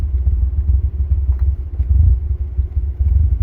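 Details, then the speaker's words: $3500 DSM with new timing belt, after touching a ground wire to a bolt: deep, even exhaust rumble, no stumble; runs great, no fuel smell, no smoke, not shaking; bad ground suspected as the rough-running cause. "Look at that. One's like a dream. doesn't sink like fuel anymore. It's not blowing smoke. Not shaking terribly."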